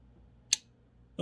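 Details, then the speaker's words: Haier mini fridge not cooling, compressor motor's relay switch; two sharp clicks about seven tenths of a second apart with no steady motor hum; relay clicking, compressor fails to start, relay judged bad. "there it went so and you had to hear that click so that tick just tells me that yes the relay is bad"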